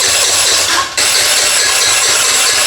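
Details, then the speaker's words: Rebuilt GY6 49cc 139QMB scooter engine, bottom end blown previously, timing just fixed, carburetor dry of gas: steady whirring starter crank that never catches or fires; crank, no start, no fuel. "There's no gas in the carburetor, so it might take a bit, but let's see. Nothing happens."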